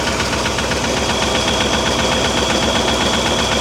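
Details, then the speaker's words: Old Mercury Ford 260 V8 with new lifters, timing about 60 degrees advanced, oiling iffy on one rocker: light even ticking about 150 a minute over idle from a loose rocker arm; tightening it helps slightly, rockers to be adjusted. "That's loose. Let's tighten this one up here a little bit. Sounds a little better, not great, but so I'll go through it and I'll get these adjusted."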